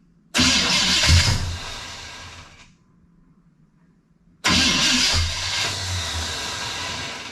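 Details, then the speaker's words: 1974 Pontiac Ventura cranking with fuel poured down the carburetor: two cranking bursts that die abruptly without catching, as the starter hits a damaged spot on the flywheel ring gear just as the engine tries to fire. "Dang it. About the time it tries to bust off, it hits that spot on the flywheel."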